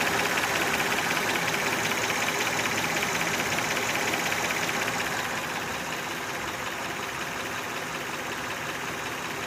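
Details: Honda Odyssey at idle with a sharp, regular clattery tapping, roughly 160 per minute, that began about 3 years ago and keeps getting louder; owner suspects valves and may try adjusting them, cause not confirmed.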